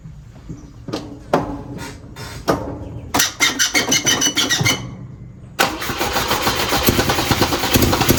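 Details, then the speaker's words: 1967 Volvo 122S Amazon cold start: cranks a few times, catches, then loud sharp puffing chatter with each firing pulse from an unsealable exhaust leak at the header flange hole; to be fixed with a new 2-inch sport exhaust. "has made a lot of noise from the hole on the flange here. I've not been able to get it sealed up."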